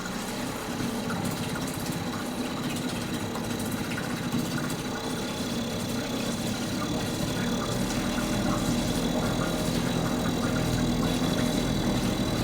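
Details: Mercury 2.5 hp two-stroke outboard after carburetor soaked and cleaned; steady even buzz holding speed, no misses, surging or knocks: normal running.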